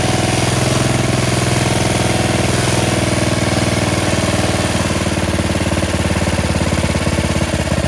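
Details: Yard Machines 13.5 HP Tecumseh 38" riding mower, after fixing slow cranking: steady, even single-cylinder thump holding speed, no knocks or misses; healthy-running tractor engine, charging 13.5 volts.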